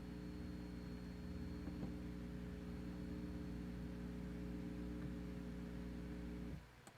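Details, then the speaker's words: Loud, steady low buzzing mains hum from a 300B single-ended tube amplifier, loud enough to disturb music listening, with volume-pot noise too; hum later cut off abruptly. "이정도면 솔직히 상당히 큰 험이구요 음악을 들을 때도 방해가 되는 상태입니다."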